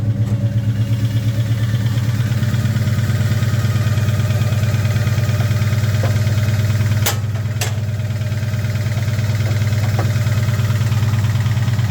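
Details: 2003 Mustang Cobra (Terminator), just delivered project car, engine started for a quick check: deep, loping idle with uneven beat and periodic stumbles, a really bad misfire; owner's best guess is something in the bottom end, not confirmed.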